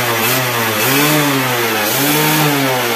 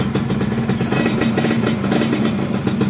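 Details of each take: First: Yamaha F1ZR two-stroke motorcycle after fitting an original Yamaha CDI to cure stuttering and kick-start kickback: it revs up and down repeatedly, climbing smoothly with no stutter or misfire. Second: Yamaha F1ZR two-stroke motorcycle: uneven stuttering misfire, won't rev cleanly under throttle and kickstart kicks back; ignition suspected too advanced, fixed by replacing the CDI with an original unit.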